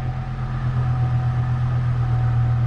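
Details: 2005 Chevrolet Colorado after PCM replacement and Passlock security relearn (security light off): engine starts and settles into a steady, smooth low idle with no misses or knocks; normal idle.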